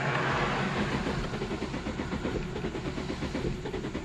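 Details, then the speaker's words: 2008 Infiniti G35 coupe, crank no start, fuel pump already replaced, fuel pressure verified, no fuel command: uneven cranking cadence never catches; engine mechanical fault, valve timing out, relative compression test next. "i'm going to start with doing a relative compression first and see how that looks the cadence of the engine sounds off so i kind of want to start there and just see what everything looks like"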